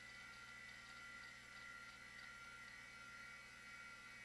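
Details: Macintosh LC after logic board re-cap and ultrasonic cleaning, Quantum hard drive spinning up: faint steady high whir, constant pitch, no clicks or grinding; drive runs normally.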